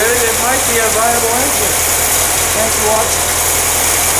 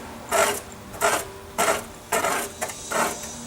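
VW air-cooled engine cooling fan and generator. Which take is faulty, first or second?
second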